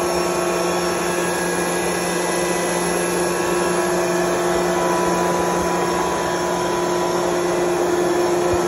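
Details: 25hp 480V Curtis roots-style rotary air compressor, belt-driven by electric motor, starting unloaded: steady, even motor hum with constant low drone, no knocks or rattles; running normally.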